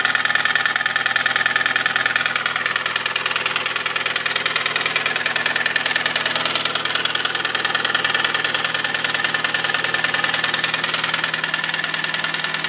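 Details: VW Cabrio engine at idle: crisp, very even ticking about three per second rides over the idle throughout; steady mechanical tick of unknown cause.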